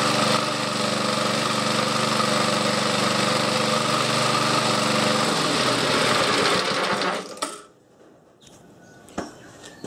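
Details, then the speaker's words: Old Webb cylinder mower with Briggs and Stratton engine, started cold on choke: even, steady buzz holding speed, then winds down and stops; runs smoothly and evenly. "so now we're going to see how easy this thing starts and it does start very easy"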